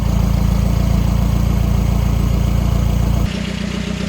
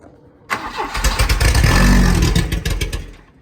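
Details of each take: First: 1984 Volvo 244 GL pulled from the woods, running on its own: steady, even low idle about three and a half beats a second, no misses or knocks, runs pretty good. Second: 1984 Volvo 244 GL pulled from the woods, hot-wired straight to the coil with starting fluid sprayed into the intake and no fuel system connected: starter churns, the engine catches for a couple of seconds and dies. Not getting enough fuel.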